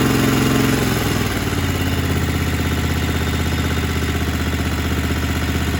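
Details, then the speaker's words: Single-cylinder small engine that had run wide open at startup, reassembled with governor and linkage found fine. Drops from fast run to a steady, even idle putter with no hunting; slight smoke from spilled oil after sump cover removal; normal idle. "I got idle control, throttle's working like it's supposed to. Looks like it's smoking a little bit because I had the sump cover off and oil everywhere, so it's gonna go through that phase. But as far as the idle speed, it's running fine."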